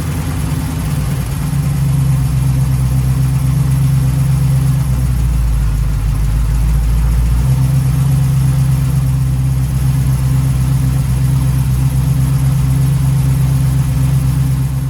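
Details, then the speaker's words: 1936 Chevy coupe after fitting square cam covers, a PCV system and a big air cleaner, warming up: a smooth, even idle without knocks but noticeably too fast. Owner presumes the big air filter caused it and turned the idle down. "did you notice how much faster it was idling there presumably that's because i've got the big air filter on but actually i had to turn the idle down it's running a bit too fast"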